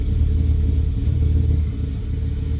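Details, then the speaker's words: 2000 Dodge Ram after an alternator replacement for overcharging, with the battery disconnected so idle memory was lost: low, lumpy idle with an uneven pulse that wavers and sags; rough idle while relearning, sounding loaded up, charging a little low. "It's going to run kind of rough here because it doesn't it doesn't have any auto memory and it sounds like it's loaded up."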